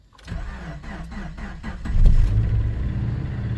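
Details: Slow extended crank on a 2010 Subaru Forester (261,000 km) cold after sitting 4–5 days at −20 °C: starter churns with even pulses nearly two seconds before catching and settling to idle; intermittent crank-no-start, MIL flashing without misfire, D-Check test connector found connected, cause unconfirmed.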